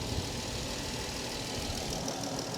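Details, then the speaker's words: Dodge Challenger at Copart, 3.6 L VVT V6 idling, orange coolant; steady even low drone, no knocks or misses, running fine, though a slight crankshaft pulley wobble is seen, significance unknown; normal idle. "coolant is orange that is good engine seems really steady you do get kind of a wobbly crankshaft right there"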